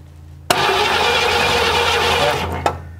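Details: 1957 Chevy Bel Air sitting since 1985, cranked while checking that the ignition points open and close; only one little spark seen. About two seconds of steady starter cranking without catching; cranks but does not start.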